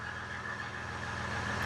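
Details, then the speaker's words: Tuned 2015 Ram EcoDiesel that cranked with no start and no codes, now fixed: the butt-connected temp sensor wiring was repaired and the throttle body had been checked. Steady, even diesel idle with no knocks or misses; fuel rail pressure is above 4,000. "it's running fine now I fixed the uh temp sensor wiring that was butt connected"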